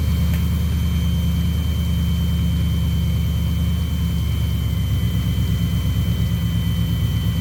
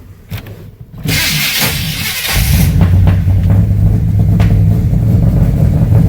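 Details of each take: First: 1990 or 1991 Chevy C1500 carbureted V8 at raised idle, vacuum gauge on manifold vacuum with a suspect line taped off; deep, steady burble with even beat, no misses, perfect vacuum reading and running decent, normal idle. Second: 1990 or 1991 Chevy C1500 after unsuccessful fixes incl. temperature sensor plugged in; catches into lumpy, uneven idle with irregular low thump about four per second, runs terrible; owner suspects ignition timing, not confirmed.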